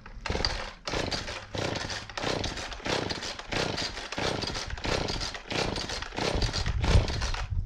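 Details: Husqvarna 450 X-Torq chainsaw that won't run, first start attempt before diagnosis: fires in uneven surges about every second, revving and sagging without settling; rough running, cause not yet found.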